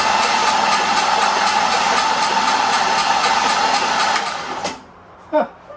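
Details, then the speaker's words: 1961 Mercury Comet engine, first crank via jumper cables to the starter from a likely weak battery pack: starter whines and turns slowly with steady ticks about four per second, then cuts off; slow cranking, ticking suspected from the flywheel. "That ticking sounds like it's coming from the flywheel more than anything else. So, but yeah, it cranked over. Nothing obvious, and it didn't crank over fast because I don't have a good battery pack."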